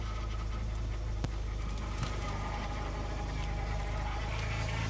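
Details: Used BMW E90 first start after coolant flush, new upper radiator hose and oil filter, battery charged: idles steadily with a faint thin whine over it, the power steering pump running dry.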